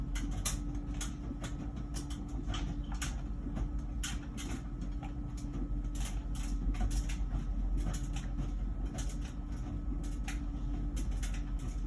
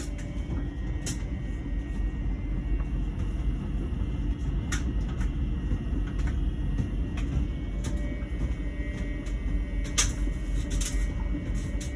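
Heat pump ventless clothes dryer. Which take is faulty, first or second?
second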